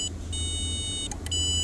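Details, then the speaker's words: Car with no-start from missing starter signal, wiring traced to the BCM: high, steady electronic key chime beeping from under the dash, cutting out and resuming, with clicking; source unconfirmed, possibly non-factory wiring. "Oh my goodness, the key chime. So once I got here, I'm like, "Oh, that's not good.""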